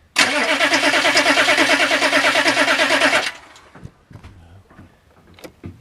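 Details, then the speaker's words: Turbo Weasel diesel; block heater not plugged in overnight, owner suspects gelled fuel lines: starter churns steadily about three turns per second for three seconds, never catches; batteries weakening, risking overheated starter; crank no start. "Yep, killing the batteries, which will kill the starter. Weak batteries means overheated starter."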